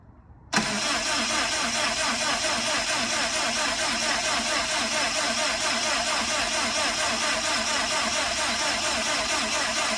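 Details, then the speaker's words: Subaru STI project, first start attempt: fast, even starter whirr running on for seconds without catching; cranked with fuel pump and crank sensor disconnected to build oil pressure. "So what we're doing right now is no different if the fuel pump and the crank sensor was connected. Like all this cranking, you're better off just connecting those two things and trying to start the car, let it, boom, you should get immediate oil pressure."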